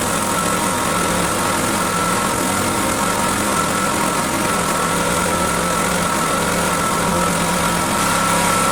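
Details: Owner's generator, neglected and stored about a year, which would only run on choke, run after a carburettor clean and reassembly: single-cylinder engine keeps running but its beat is uneven and ragged; rough running, cause unclear.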